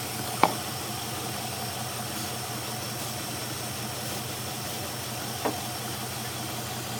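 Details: Hemi 5.7 V8 idling low with an uneven, lumpy beat and occasional stumbles instead of a smooth hum; running rough.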